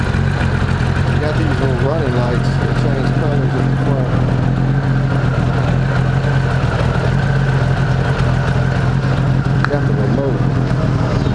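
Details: 1998 Honda Goldwing GL1500 SE flat-six after repairs including a new alternator: smooth, even low hum with a steady beat and no knocks, misses or rattles; normal idle.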